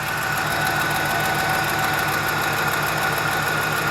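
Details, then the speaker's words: 2004 Dodge Dakota 4.7L V8 idling during repeated engine flush starts: light fast even ticking from a sticking hydraulic lifter, lessening and fading faster, now about 30 seconds. "still ticking but it seems to be uh getting less and going away faster"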